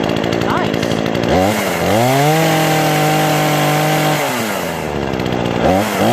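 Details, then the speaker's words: Brand-new Remington Outlaw RM4620 20-inch gas chainsaw (MTD Southwest recall replacement), first start after priming and full choke: idles, revs cleanly to a steady high buzz and drops back smoothly; easy, reliable start, normal running. "that's all there is to it man this was easy really easy pretty reliable start"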